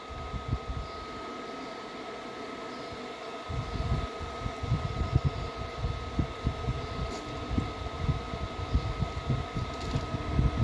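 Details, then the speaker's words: Ariston washer-dryer with an F15 error, on the cotton drying program after the first drain. Steady high fan tone with low drum rumble, no rattles. Blower and heater running normally. "now once first drain after that my should start the blower motor and also heater yes though already start"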